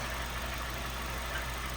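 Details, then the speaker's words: Honda Fit GD3 after a first DIY valve adjustment: steady idle with a faint, regular light knock after revving, plus a tick; no leaks or warning lights; owner unsure whether rod knock. Engine knock, source unconfirmed. "Yes, so after revs, there's definitely still some knocks. Is that rod knock?"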